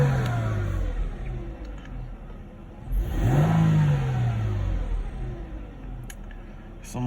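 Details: Mercedes CLK 320 V6 that bogged and would not accelerate, just after the air flow meter (MAF sensor) was replaced: the engine revs up cleanly and settles back without stumbling or bogging. Smooth, healthy acceleration.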